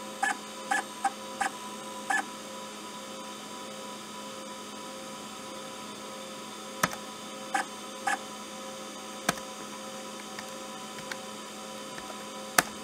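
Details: IBM PS/2 hard drive seek sound faked by an Arduino driving a stepper motor, triggered by the activity LED with 10–500 ms delays: squeaky, irregular chirps like head seeks over mains hum; it works as intended and sounds realistic.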